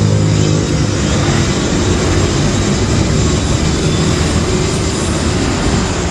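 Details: Electric wood planer throwing sparks from the brush area: steady high motor roar with harsh rough edge, no load changes; heavy brush arcing from burnt armature commutator segments, carbon brushes checked.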